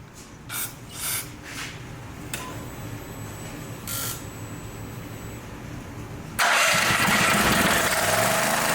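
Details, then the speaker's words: Brand-new Champion EFI generator that ran, died and wouldn't restart. A few weak pulls, then it catches and roars on starting fluid, confirming a fuel delivery problem (contaminated fuel): no-start from contaminated fuel. "okay so that tells us it's a fuel issue"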